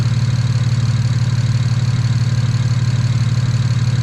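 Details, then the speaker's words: Single-turbo BMW 335is after overboost fix and bank 1 O2 sensor swap, idling to warm up with oil temp at 93: smooth even low purr about three pulses a second, no miss, tick or knock; healthy normal idle. "Yeah, it's only at 93, so just let it idle, let it get the temp before I get the beating on it. It sounds strong. This motor sounds healthy. Purring, it's purring, it's purring."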